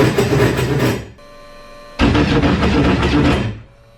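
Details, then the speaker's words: Yamaha FX SHO WaveRunner with supercharger, first start after supercharger clutch swap and oil pump gasket refit, airbox off: two harsh one-to-two-second bursts of loud clattering grind, then it stops. Abnormal noise on starting, cause not yet known. "fire uhoh that didn't sound right several days"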